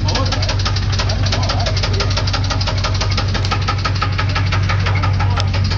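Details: 350 TPI V8 at idle, loud steady knock roughly three per second, heard more on one side, cause unknown.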